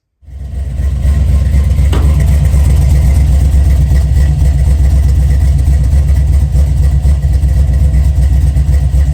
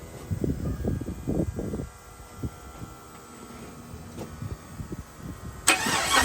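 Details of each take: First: 1979 Chevy C10 with a 5.3 LS swap and Sloppy stage 2 cam, first start after an almost two-year build and a new gas tank: engine catches and settles into a deep, steady rumble with an even beat, no misses or knocks; healthy idle. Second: 1979 Chevrolet C-10 with first-time 5.3 LS swap, fuel pump relay wired wrong so bypassed: uneven stuttering crank, long gap, then catches and flares up, making some noise; hard start from low fuel pressure.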